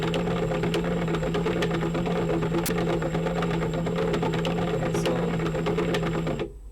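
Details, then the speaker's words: E-bike hub motor after fitting new gears and locking springs: steady low hum with rough rattling chatter throughout; noise thought to come from the clutch unit, possibly rust inside, unconfirmed. "so this also have that same kind of noise so there is something wrong with that motor there is still something wrong so the noiser coming from this clutch unit"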